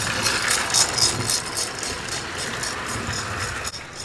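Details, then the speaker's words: Secondhand Lionel Southern Railway train set running: a fast, hissy rattle of about four pulses a second over a light whir, so the chuff sounds like a rattle. A possible short or spark was noted; the cause is unknown. "yeah that sounds more like a rattle than the chuff's down"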